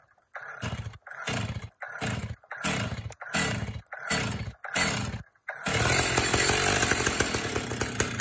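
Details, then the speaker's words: 1970s Stihl 032 chainsaw, barn find bought new by its previous owner and sitting a long time: seven pull-start rasps, then a ragged, uneven buzz; runs rough, owner assumes it needs a tune-up and likely a new plug. "it does not run well right now I assume where it's been sitting for probably a long time it probably needs a good tune-up"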